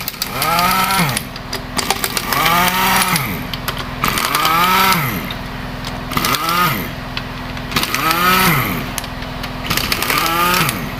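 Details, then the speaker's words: Carbureted Honda Vario 110 scooter, after electrical/starter repair: revs rising and falling about every two seconds with a coarse, rattly noise following engine speed from the CVT side; roller housing next disassembled, possibly run out of grease. Rough CVT noise. "Oke, selanjutnya kita cek bagian komponen yang berisik di bagian CVT."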